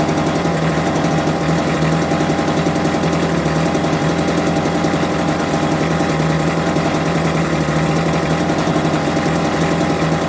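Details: Homelite UT08572 small two-stroke, just restored and not yet warmed up, putters at a slow, buzzy idle with a fast even beat; idle speed set too low, and it had died on its own.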